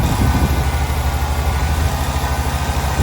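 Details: 1993 Ford F-150 straight-six said to have low compression, plug wires being pulled one by one to find the bad cylinder: lumpy, uneven idle with heavy low thump about three times a second; misfire from a dead cylinder with no compression.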